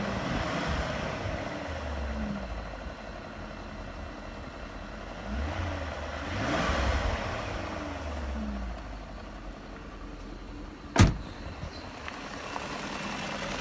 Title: BMW E38 M62B44TU strange noises